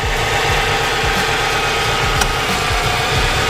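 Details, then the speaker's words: Subaru WRX, AC off, idle raised 300 rpm above normal via Accessport, bypass valve vacuum line pulled off to feed Seafoam: the raised idle surges and stumbles unevenly with wandering low thumping pulses, from unmetered air through the open vacuum line. "you're gonna want to take off this vacuum line right here it's part of your bypass valve so we're gonna go on ahead and slip this off"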